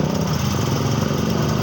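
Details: Yamaha Xeon scooter after its burnt stator coil was replaced with a Jupiter MX stator, wiring grafted, original regulator refitted, new battery: steady even putter with smooth low beat, no knocks or misses; runs normally and charging now works.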